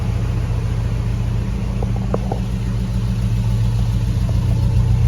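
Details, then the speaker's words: Hemi V8-swapped Jeep Grand Wagoneer warming up at idle after checks for an earlier fault: deep, even idle with a steady low rumble and no dips or stumbles. Previously it bogged and idled down low once hot; it sounds healthier now, exhaust audible. "It's doing better, because I think by this point it was starting to idle down real low, but we'll just have to wait and see. Just got to give it a minute. The motor sounds healthier."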